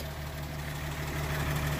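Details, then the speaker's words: 1937 Pontiac Silver Streak barn find straight engine, long sitting, just revived after the ignition points were filed: low, steady, even idle with no knocks or misses. Oil pressure good. Normal idle. "I got the throttle got yeah ready yeah sign up them points and she's purring like a Swiss watch that's sweet"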